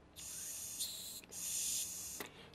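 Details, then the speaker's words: Saito FA-130T carburetor off the engine, blow test with throttle at idle stop: strong hiss of air still rushing through, low-speed needle open too far (too rich) and needs closing considerably. "see how much air you can still hear coming out of there at idle so now I need to close that one considerably"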